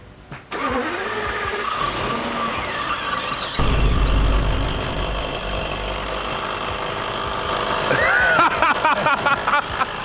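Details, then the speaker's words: Barn-find Brabus 6.9 V12 Mercedes SL, first start after years sitting: after the crank the V12 idles with a fast scraping tick as revs rise, the fan sticking out too far and hitting the engine. "all right so that sound you guys hear is actually the fan hitting right here this massive engine that's not supposed to happen uh the fans sticking out a little too much"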